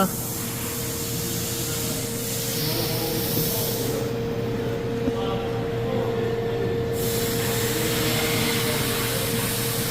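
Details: Toyota Camry idling steadily with a smooth exhaust note and no puffing or ticking, after a DIY no-weld patch repair of an exhaust leak.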